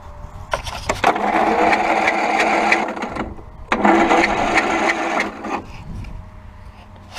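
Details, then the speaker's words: Zero-turn mower cranked on a jump box with its spark plug out: two spells of fast, light, free-spinning starter whir with no compression hitches. "it just me, or does it sound like I don't have my spark plug in there? It does. Huh."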